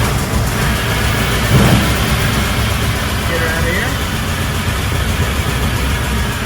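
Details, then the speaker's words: 1914 REO being troubleshot and repaired; the old engine catches after cranking and settles into a steady, even low idle with no knocks or misses, running sweetly, normal idle. "oh she's alive there we go all right she's going sweet she's away"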